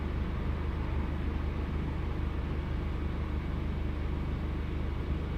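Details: Deep idle drone with an irregular, lumpy beat dropping out every so often; a cylinder misfiring.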